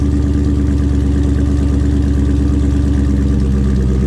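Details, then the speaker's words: 2019-and-up Dodge Charger/Challenger with active exhaust valves deleted (held open with zip tie or safety wire), so eco mode always sounds open: start-up into a deep, steady, loud rumble at idle, even beat, no misses; healthy V8 through wide-open exhaust. "your eco mode is just always going to be basically your open, what your exhaust is supposed to sound like."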